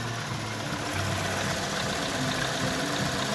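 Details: VW Tiguan 1.4 TSI cold-start idle after new firmware disabled catalyst fast warm-up, fixing the cold-start misfire: steady, even low hum with no stumbling or shaking.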